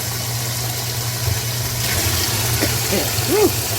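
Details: Older washing machine, over 10 years old, after replacing the super-slow water inlet valve, on light load: steady, uninterrupted rush of water into the tub over a low mains hum; warm (hot and cold mix) fill running normally.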